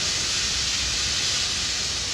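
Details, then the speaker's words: Dam outlet pipe filling with water: steady loud high-pitched hiss as the last trapped air at the top of the pipe is forced out through the escape valve; normal air release. "that's the last of the air in the top of the pipe being shoved out by the water there's an escape valve up there and you can hear it hissing"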